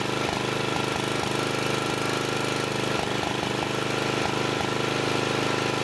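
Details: Murray riding mower single-cylinder engine with the exhaust refitted: steady idle with an even beat and no misses. Runs fine with the exhaust on; owner thinks it needs a head gasket, and the fuel lines are cracked.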